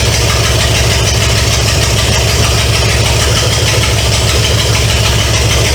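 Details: 1970 Pontiac LeMans with Pontiac 350 V8, abandoned for years, first start: loud, raw rumble from open manifolds with even, steady firing and no knocking. Smoke is from oil put in cylinders to free rings. Normal idle.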